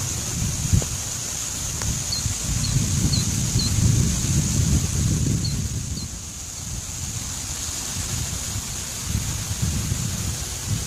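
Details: 765 kV ultra high voltage transmission line in humid or rainy weather giving a steady high-pitched hiss from corona discharge, with wind gusts rumbling underneath and a few bird chirps.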